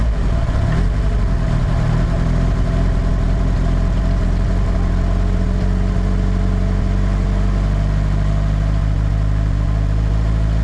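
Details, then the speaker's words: Nissan S13 SR20DET first start after installing eBay turbo, IS-R turbo lines and ECU-connected oxygen sensor: steady, even idle held a little high while warming up, smooth with no misfire, knock or rattle, no smoke; normal cold-start idle. "was first try start it up idoling a little high right now but that's probably just cuz trying to spy just trying to warm up"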